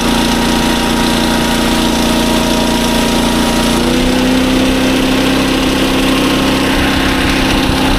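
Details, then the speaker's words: SDMO 5000W generator, 296 cc, bought cheap as "broken" (owner thought alternator blown), running after refuelling: steady smooth drone stepping slightly higher, no knocks or hunting; output about 140 V, handled a 1000 W heater load test. "Now, as you can hear, the generator runs super well. It's putting out good voltage."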